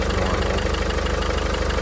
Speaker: so no timing chain rattle or anything like that the only rattle is just the cover that's how one of these should sound with proper maintenance proper oil and so forth it is a little louder when it's cold